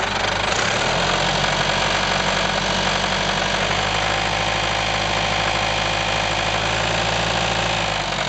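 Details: IHC 554 diesel tractor about 30 hours after an engine overhaul, idling with an uneven knock about four times a second from the crankshaft area. The cause was confirmed as balancer gear teeth missing, not the pump.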